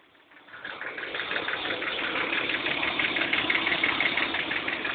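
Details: BMW M50TUB25 petrol engine idling with a steady light clicking, about three clicks a second; cause unknown, owner asks for advice.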